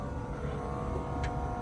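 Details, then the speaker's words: 1983 Jeep CJ7 Renegade on a pre-purchase inspection, before a cold start: at key-on the fuel pump comes on with a steady, even hum, a few fixed tones and a low rumble. Normal fuel pump priming. "Fuel pump comes on."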